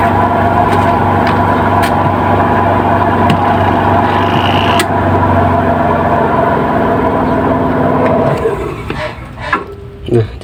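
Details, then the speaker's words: Washing machine spin dryer tested with the load removed and the drum spinning empty: a steady, even motor hum with no knocking, then it winds down. The thumping ("gleduk") only occurs with the load. "kalau kosong si pengering ini dia tidak bunyi beleduk-beduk ya"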